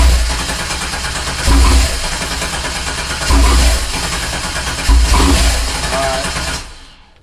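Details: 1987 Fiero GT with swapped 3800 supercharged engine: three cranking bursts with rising surges, never catches and runs; crank no start from no fuel, fuel pump not connected.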